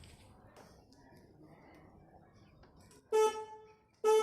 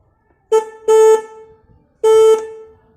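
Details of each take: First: 2016 Suzuki Access 125 scooter with aftermarket horn mounted inside the front panel: two short blasts with a thin, reedy, quiet tone and little punch; horn is weak and sounding lower than it should, before repair. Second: 2016 Suzuki Access 125 scooter with a weak-sounding aftermarket horn, retested after adjustment and reassembly: three clean, steady mid-pitched honks with no rattle or buzz. The horn is working and sounds slightly louder than before.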